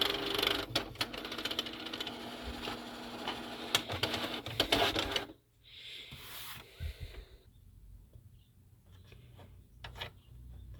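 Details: Canon TR4540 printer paper feed, Error 2110: harsh rattling grind for about five seconds, then quieter clicks and whirring.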